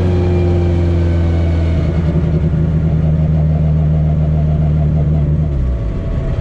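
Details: Test drive of the car after CV axle and driveshaft fixes, driven lightly on a back road: engine pulls steadily, note rises and falls smoothly with no droning, shudder or vibration; driveline sounds sound.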